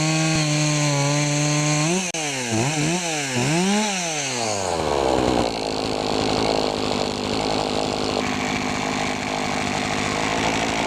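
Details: Poulan Pro chainsaw after fixing a clogged air filter and sharpening the chain: crisp revs rising and falling quickly, then strong steady pull while cutting without bogging; normal running.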